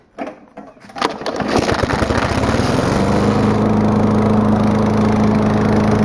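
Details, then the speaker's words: Loud exhaust from an old lawnmower with muffler opened up to an expansion chamber and throttle spring bent for more throttle: after pull start, fast steady buzzing run with harsh very loud bark. "because like I said, lawnmowers are loud in general, but this one's especially loud."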